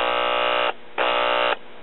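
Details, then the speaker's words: 1940s Decca DP16 tabletop 78 RPM record player, single 70L7 tube amplifier after replacing bad capacitors, resistors and power cord; test signal via clip lead at volume up gives loud steady hum bursts, strong output, amplifier repaired and working normally. "and a pretty stout signal to be a little one tube amplifier so as far as I'm concerned the amplifier is repaired now"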